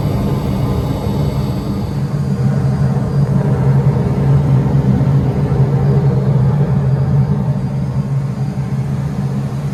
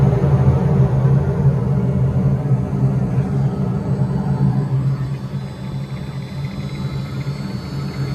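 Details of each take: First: Propane-fired rooftop HVAC unit with VFD at self-storage facility, turned on in heating mode during no-heat call: deep steady rumble with even fan drone, no knocks or squeals; unit heating normally. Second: Furnace blower at self-storage facility (no-heat call): deep steady rumble with loose, uneven flutter about three times a second from the old, worn drive belt; technician decides to replace it.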